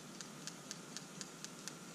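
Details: PCV valve removed from 2006 Honda Accord 2.4L 4-cylinder, 5-speed, burning oil (about 1/2 quart per 1000 miles), shaken by hand: faint dull ticks about four per second, no crisp click; gunky, clogged PCV valve.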